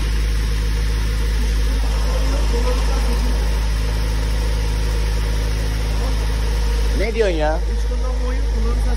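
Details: Tofaş with freshly rebuilt engine, in the workshop: steady even low hum, no knocks or rattles, one short rise near the end; normal idle, though a slight rattle is mentioned as audible outside the car.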